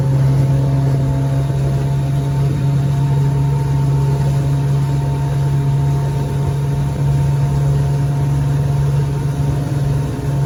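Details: 1968 Evinrude 9.5 HP outboard, lake test run after repair: steady buzzing hum holding one even pitch for ten seconds with no stumbles or knocks; starts right up and runs smoothly.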